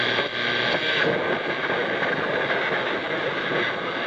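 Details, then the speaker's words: Zenith Trans-Oceanic R7000-2 shortwave radio on a higher shortwave/CB band: steady even hiss with no station breaking through; receiver working normally on an empty band. "and then some of these higher short wave bands are just they're just not much on them this time of day"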